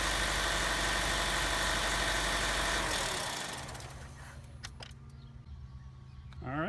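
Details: Chevy Cruze 1.4 turbo just after cold air intake install (new throttle-body pipe, MAF sensor reconnected): a loud rush as it fires, then a steady, even idle with a low hum; engine sounds healthy, normal idle.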